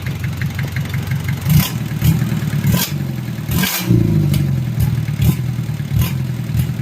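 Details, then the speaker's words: Just-rebuilt Mitsubishi 4D30 100PS diesel (timing gears, injection pump, cylinder head fitted; new oil cooler O-ring), run briefly without coolant: steady low idle clatter picks up cleanly in quick throttle blips, rising and settling evenly; normal throttle response. "Ini masih beroperasi tanpa air. Dengarkan respons akseleratornya. Oke, bagus ,"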